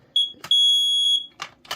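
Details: BRK 79R smoke alarm after its piezo sounder was replaced: loud, piercing, steady high-pitched beeps, one short then one long, then clicks; the alarm sounder works properly.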